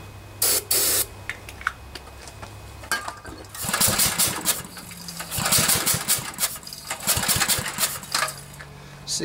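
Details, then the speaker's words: Briggs & Stratton 10 HP engine on a generator, new spark plug, has fuel and spark but won't start: pull-start cranking gives airy puffs instead of firm compression, suspected and diagnosed as a blown head gasket. "kind of sounds like air is escaping somewhere so I'm beginning to think it might be a head gasket"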